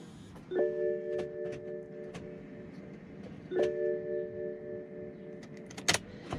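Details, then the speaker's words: BMW E60 M5 S85 V10 after fuel injector replacement, key cycled to pressurize rails for leak check: two short steady electric buzzes about three seconds apart from fuel pump under back seat, then silence; normal priming. "you can just hear that fuel pump running momentarily in the back there under the back seat"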